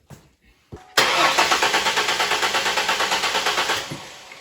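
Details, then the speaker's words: 2001 Mustang V6 cranking without starting during a compression-rhythm check before the plugs are pulled: a brisk, perfectly even starter beat. No cylinder sounds much lower in compression than the others. "that sounds like a very consistent rhythm so based on that consistent rhythm that we just heard i don't believe any one cylinder is going to have a much lower compression than the other"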